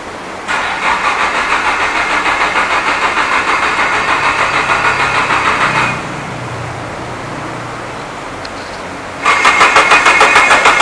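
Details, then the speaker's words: Nissan Silvia S15 (SR20, Link ECU) at workshop: starter whirs with even compression beats, engine cranks but won't fire; cause unknown, hardware or wiring suspected. "not a good sign the engine is cranking but just can't fire you up as what happened we tried before"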